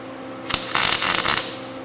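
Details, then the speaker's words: MIG welding on a 1989 Ford refresh, setting slightly too hot: short burst of steady sizzling crackle like frying bacon, no loud pops; welder setting close to right, normal weld sound. "little too hot yet sounds like we're frying bacon though so the setting must be pretty close"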